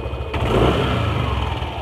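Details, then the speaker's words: Yamaha NMAX scooter: smooth when throttling up, but a rough "ktp ktp" chattering rattle as revs drop back to idle after a blip; noise vanished when cam chain tensioner was pushed in — slack cam chain tensioner rattle. "motor tuh kayak enggak ada masalah ketika digas pun dia lembut juga lembut tapi pas ketika turun gas dia ada bunyi KTP KTP dengerin ya nanti pas turun gas maupun nol"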